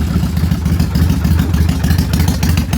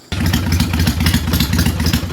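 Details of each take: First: Kawasaki Vulcan 800 V-twin, carbureted, idling slow, uneven and luggy because idle speed is set too low, lights dimming. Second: Kawasaki Vulcan 800 carbureted V-twin after raising the idle speed screw: steady even beat at slightly raised idle, no misses, though throttle response becomes boggy; normal idle.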